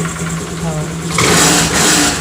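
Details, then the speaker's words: Honda Grazia BS4 scooter after the spark plug was tightened: the engine blips up cleanly from a steady idle with no rattle or knock. Normal, smooth rev. "एकदम sound smooth हो गया दोस्तों कोई तरह का आवाज़ नहीं है"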